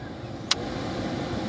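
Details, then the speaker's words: 2007/08 Ford Fusion Zetec Climate TDCi after replacing the heater blower motor resistor: the blower, dead on settings 1–3 before and working only on 4, now runs on a low setting with a steady soft airflow hiss and one brief click. Normal. "So if your heater stops working, you should be getting a sound on 1, 2, 3, and 4."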